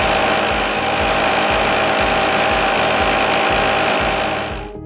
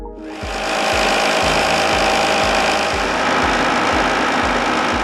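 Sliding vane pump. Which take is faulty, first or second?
first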